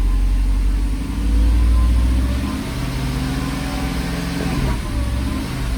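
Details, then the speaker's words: 1995 Mercedes SL500 (R129) V8 stuck in limp mode with ASR and ABS lights on, running after codes were read: deep uneven burble with irregular dips and surges that never settles to a steady idle; engine running rough, cause not confirmed. "Yeah, car's clearly not happy."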